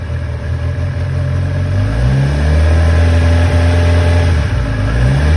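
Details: 2011 Kawasaki ZX-10R (Gen 4) after fitting a PSR cam chain tensioner to fix a rattle: smooth even idle with clean throttle blips rising and settling without rattle; top end sounds healthy.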